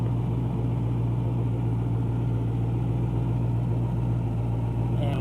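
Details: 2012 Mustang GT Coyote V8, 192,000 miles: knock heard at idle over a low drone, seemingly from the bottom end, louder on acceleration; it fades then returns once hot. Car hesitates, loses power and has stalled at 40 mph; cause unknown.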